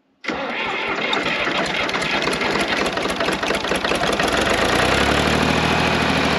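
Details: John Deere 350B crawler dozer diesel after the injector lines were cracked and fuel was confirmed reaching the injectors. It cranks briefly, catches at once and settles into a steady, even clatter that smooths as the revs drop: a normal start.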